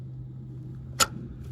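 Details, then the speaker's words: 1967 Ford Mustang stored in a barn since 2008, gear selector unhooked and clicked through park and all five positions. One crisp click into the detent over a faint hum: normal gear selector detent click. "I just want to show going through all five gears. You can hear it click nicely into each one."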